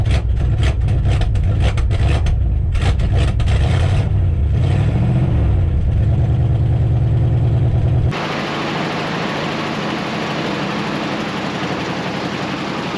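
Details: Long-sitting Dodge W300 4x4 dump truck, revived with new brake cylinder; engine fires, blips up, then settles into a steady even beat with no stumbling, idling normally.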